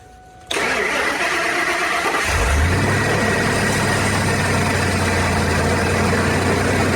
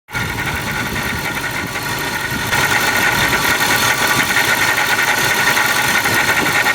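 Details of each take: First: Ford SVT Lightning (2001+) with a used 99-00 Eaton supercharger fitted in place of a failed Jokerz unit, heard from outside at startup: quick catch into a steady V8 idle with no blower whine or rattle; normal operation. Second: Ford SVT Lightning fitted with a Jokerz-rebuilt Eaton supercharger after one summer of driving: harsh, steady mid-high whine over the exhaust that grows louder; failing supercharger.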